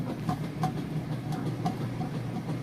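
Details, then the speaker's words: Whirlpool Super Capacity top-load washer in the agitation portion of a cycle with a heavy load of jeans and towels: steady low churning with a regular swish every third of a second, strong, smooth and unlabored; normal agitation. "going through the agitation portion right now it's got a good strong agitation sounds great"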